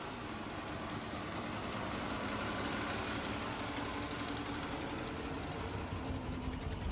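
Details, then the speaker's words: Mercedes W126 380SEL V8, sat 15 years, run on external fuel source with no tank, idles with slightly uneven beat: slight misfire, no knocking, oil pressure present. "Obviously a little misfire because it's gonna need some work here and there, but we're just running it on the external fuel source. But we verified that the engine is actually, it sounds good. There's no knocking, none of that stuff."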